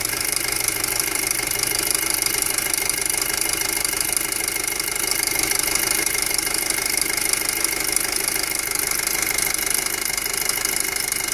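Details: 2007 Passat 2.0T at steady idle: sharp, ticking hiss riding high, about three beats a second; loud abnormal top-end engine noise, cause unknown.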